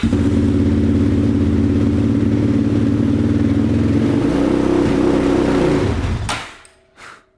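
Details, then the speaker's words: 2005 Yamaha Raptor 660, neglected, running on choke: single-cylinder idle, note changes as throttle opens then cuts out within two seconds; stalls under throttle, owner mentions known rev limiter issue tied to parking brake. "Shuts straight off. That is strange. These are notorious for having a rev limiter problem."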